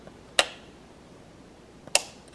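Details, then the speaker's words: Battery-powered light timer, installed around October–November 2016 and running nearly four years without problems or power-outage effects, gives two crisp, strong, clean relay clicks about 1.5 seconds apart. Healthy relay switching. "still runs perfectly battery is fine keeps the time all the time responds correctly and here just listen how strong this is"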